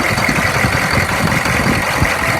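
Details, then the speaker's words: 2002 Chevy 3500 utility truck, 6.5 L diesel, 89,150 miles, stood almost a year, jump-started with starting fluid, running 5-10 minutes: fairly quiet idle with slightly uneven low chug and steady clatter, mildly rough but improving; may need service. "It's running now for about 5 or 10 minutes. It sounds a little rough. It's not loud."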